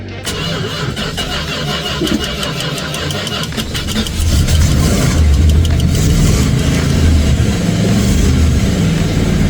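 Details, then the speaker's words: 1967 Chrysler Newport V8 barn find, cold start after a couple of pedal pumps: brief cranking catches quickly into a steady, even idle that gains body after a few seconds; clean healthy cold start. "Sounds pretty good."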